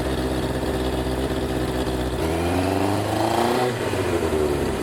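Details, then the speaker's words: Yamaha 850 V-twin imported from Japan after sitting: revs up unevenly and stumbles, smoothing a little as it warms, still short of power; no internal mechanical noises; rough running possibly from sitting, not confirmed. "it's not quite all there yet but we have confirmed the bike runs not great it could have been could be from sitting for a little while but there's no internal mechanical noises"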